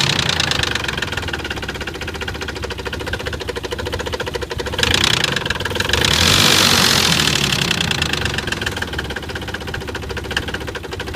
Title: Nissan 300zx engine knock